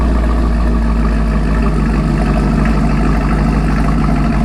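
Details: 2017 Camaro SS 1LE V8 idling on stock exhaust, before installing 1-7/8" stainless Speed Engineering headers and X-pipe: deep, steady rumble with even, unbroken beat, no misses or ticks; healthy.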